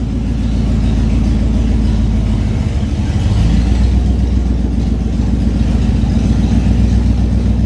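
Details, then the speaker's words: 1989 Ford F-150 XL 5.0 V8 four-speed manual, with intermittent running issue, exhaust open at the headers: very loud, deep, raspy rumble swelling with revs, no muffling; loud exhaust from open headers. "but that's what she sounds like it's pretty obnoxious so we'll get that fixed up"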